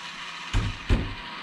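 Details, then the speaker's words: Traxxas XRT Max6 ESC cooling fan, powered on after programming: two dull clicks a third of a second apart over a faint hiss as the fan sticks; all blades present, appears to hit its case; cause not confirmed. "But it's like it's hitting the case. That's weird."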